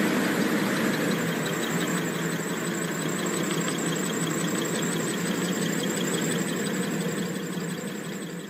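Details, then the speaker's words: Cooling-tower blower fan with loose V-belt: steady fan rush with rapid flapping and chirping squeal, black belt dust around; belt slipping from low tension, cutting fan speed and airflow. "파닥파닥 거리면서 끼끼끼끼 미끄러지다 저렇게 주위에 이제 시커 맣게 또 가로 다 날려 있고요"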